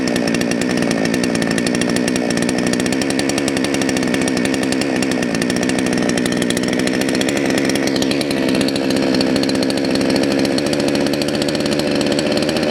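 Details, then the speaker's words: Salem Master chainsaw idling after the low-speed jet was leaned out too far: high, crisp, even buzzing that sounds happy but lacks top end, and the chain creeps at idle when it should be stopped; lean idle mixture, idle speed too high. "if you noticed when i leaned it out a little too far it sounds like sun's getting really happy but actually it won't have as much top end and you notice the chain started to move that's not where you want your idle this chain should be dead stopped at idle"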